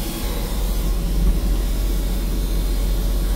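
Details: Westerbeke marine generator set after capacitor replacement fixed low AC voltage, now 120 V, carrying freezer and air-conditioning load: steady, even low rumble with no hunting, misses or knocks; healthy under load.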